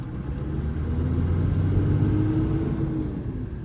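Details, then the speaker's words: Expedition truck with NV4500 transmission under acceleration: an even, deep rumble with a faint rising hum and no whine, sounding normal. Gear noise occurs only in first and second under engine braking. "On acceleration, everything is just as it should be."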